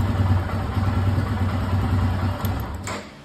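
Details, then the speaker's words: 2022 Royal Enfield Himalayan after raising throttle position sensor voltage from .620 toward .690–.710 to cure cold-start stalling, started without choke after two days: once warm, idle settles near 1,250 rpm, steady even single-cylinder thump; normal warm idle. "once it warms up the idle settles on 12.50"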